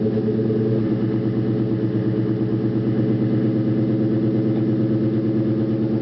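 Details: 2001 Ford Mustang GT V8 at startup: steady deep knock riding on the exhaust beat at about three per second; bottom-end knock, suspected spun rod bearing, not confirmed.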